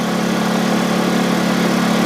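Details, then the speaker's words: Honda EU2000i generator on propane conversion, 1,500 W load: steady, even drone at constant pitch, no surging or misses, holding speed smoothly; normal running under load. "Running just fine. It's taking the load. It's 1,500 watts coming right out of here right now."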